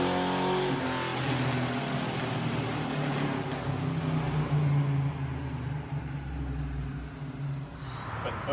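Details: 1978 Chevy C10, apparently rebuilt 400ci small-block V8 with small cam, Edelbrock dual-plane intake, 650 carb, long tubes, 2.5 in exhaust, TH350, under load on baseline dyno pull (221 RWHP, 300 lb-ft): deep even drone, no knock, tick or miss; normal running under load.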